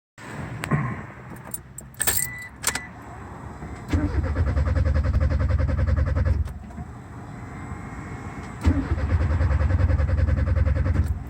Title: No start issues.